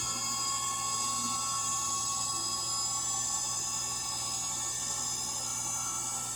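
Constant high-pitched whirring drone through the spin with a thin rough edge, typical of worn motor bearings.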